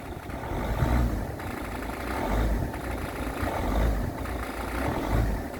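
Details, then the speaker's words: 2008 Ford Kuga Mk1 2.0 TDCi AWD diesel at idle: loose irregular clatter from the engine bay that disappears with a little rev; worn auxiliary drive belt, and fitting a new belt stopped the rattle. "you can hear that extra clattering you might be hearing better over here but when you give it a little rev it disappears"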